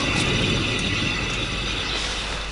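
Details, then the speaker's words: 2014 Hyundai Santa Fe 2.2 diesel, about 245,000 km: a coarse, ratchety grinding rumble from the raised rear wheel as it turns. The worn rear wheel bearing has grown noisy over a month but has no play, and will be replaced. "it's been getting pretty noisy I'll ask on a 5000 KS you got no play no play at all it's just a noise really"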